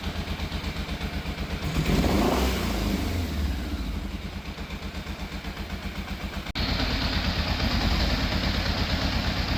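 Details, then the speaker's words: Yamaha FZ750, fire-damaged, carbs cleaned, choke confirmed fully off: after a rev blip, uneven lumpy idle with skipped pulses, a cylinder missing intermittently; owner suspects the carburettors still. "I got it to idle about as best as I can for the time being. Still sounds like it's missing a bit."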